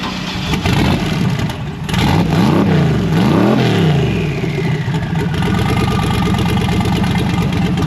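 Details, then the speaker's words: Race Mustang V8 after a failed cam sensor, cam sensor disabled by switching to batch fire. Catches quickly, blips up and settles into a strong, steady lopey idle with no misfire: running properly. "It's firing right up and it's working."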